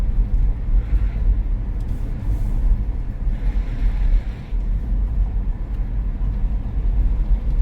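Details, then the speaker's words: 1970 Chevrolet Chevelle V8 idling with an uneven lope, stumbling now and then with a clear drop in the beat; misfiring. "did you hear it misfiring"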